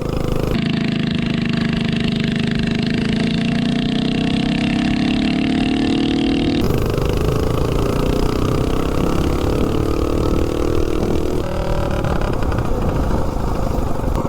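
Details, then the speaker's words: Tillotson 212-powered Rascal Lite mini bike with mechanical fuel injection carburetor, 252 cam and header pipe: single-cylinder note rises and falls cleanly with throttle, steady with no misses or pops, deeper sound with the 252 cam; healthy running. "Seems like it has a little bit deeper sound to it with the 252."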